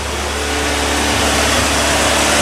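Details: Triumph TR3A, about 60 years old, started on one crank after storage: cold engine idling on light choke while warming up. A loud, steady, even rumble with no misses, knocks or dips; a normal cold idle.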